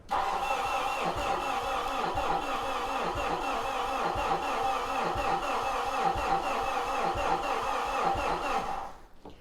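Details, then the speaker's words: A 2013 Mitsubishi Fuso FG truck with a no-start, suspected fuel-related, and batteries possibly not fully charged cranks slowly and laboriously, about four beats a second for nine seconds, without firing. Air bubbling at injector 3 suggests low compression in cylinder 3. Unconfirmed. "Now this may still crank slow if the battery's not charged or if there are other issues."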